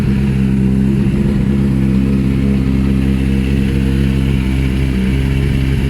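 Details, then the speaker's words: Triumph TT600 salvage bike, first start-up with a very low battery: low, lumpy, uneven idle that never picks up, as if running on two cylinders; limp mode with no revs, owner suspects the dead battery. "the entered limp mode as if it was only running on two cylinders it was fine because you can trickle at home but there's no revs"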